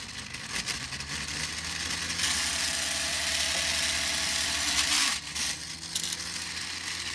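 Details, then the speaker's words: 3D-printed Newman pulse motor, smaller prototype about 40% scaled: fast even whir climbing then falling, no knocking; normal running. "2.3 still going that is nice now let's Crank It Up"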